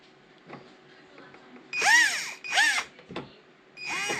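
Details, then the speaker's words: RC model truck build: short bursts of strained motor whine that swell and fall in pitch, with steering but no drive. Long screws fitted into the gearbox were pressing on the gears and binding them; it worked before the screws went in. "I didn't do that before I put these screws in here so there must be something that's happening here that's doing something cuz it worked prior to that happening"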